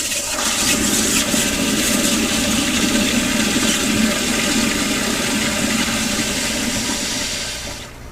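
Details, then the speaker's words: Sloan sensor-operated flushometer with EBV-375-A pressure cap gauge; pressure rising to static after the flush: strong, even rush of water about seven seconds tapering cleanly as valve closes; normal flush. "and once it shuts off we rise back to the static pressure during the flush what we're looking at is on the bottom end we want to be right around 20 or a little above which is good"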